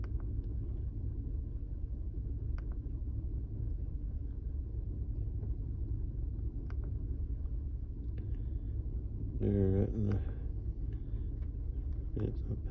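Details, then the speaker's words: 2005 Chevy Colorado 3.5 with 330,000 miles, P0300 codes, at idle; low rumble with uneven beat and occasional stumbles; scan shows cylinder three worst with 16,289 misfires; engine misfire. "number three is real bad I'm not sure if that's yeah we're gonna call it number three with the big sixteen thousand sixteen thousand two eighty nine misfires"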